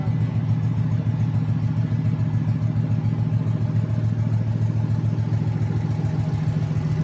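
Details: Junkyard 2009 5.7 Hemi V8, about 80,000 miles, with Hotwire harness and 09 Challenger PCM, idling on a run stand with coolant and fans running: deep, even burble with steady pulse, no knocks or ticks. Normal idle.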